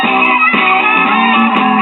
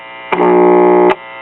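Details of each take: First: Repaired 1950s ShuraTone child's record player with stereo wiring harness, left and right channels tied together for mono: music plays clean and loud with steady pitch, no hum or distortion, more volume than average; working normally. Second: 1950s ShuraTone child's record player, single-stage tube amp with replaced 50L6 output tube (original shorted, noisy): loud rough low buzz cuts in abruptly for under a second when touching the positive amp input connection; mains hum pickup.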